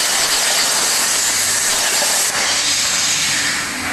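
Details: Hypertherm MaxPro200 on a CNC plasma water table cutting 12 mm plate; steady even high-pitched roaring hiss with no sputtering or popping, clean stable arc cutting normally.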